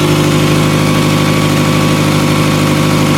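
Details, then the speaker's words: 2000 Toyota Camry, cold start at 44°F after misfire repair: steady but loud, raspy, puffing idle roar from underneath with no misfire. Owner suspects a rotted flex pipe exhaust leak. "running absolutely perfect obviously you hear the exhaust because of that but not a single misfire just plain rice cake farts"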